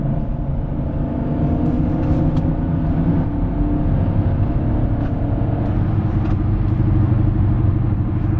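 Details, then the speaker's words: E53 BMW X5 at highway speed, recorded from inside the car. Steady low droning "wub-wub" growl over road rumble from a worn driver-side (left) rear wheel bearing, confirmed from the cabin. "we are out attempting to reproduce this wheel bearing noise apparently it's coming from the left rear so the noise is sort of like a ww w w w kind of sound"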